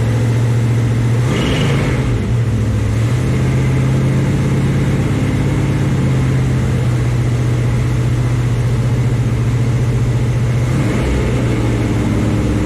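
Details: 1974 Chevy Nova with a new Chevy 350 V8 at first start, holding a steady, deep fast idle for cam break-in with a brief blip. It runs evenly and normally; it was shut down early because oil squirted from the valve covers with no PCV valve or breather fitted.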